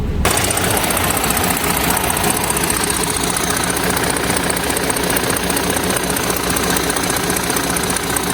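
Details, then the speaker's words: HGV truck diesel revved with a reported noise: sharp, rapid puffing chuff, a couple per second, over the engine note; exhaust manifold leak from two missing front manifold bolts. "There's two missing out of the front, which you can hear it blowing on that exhaust."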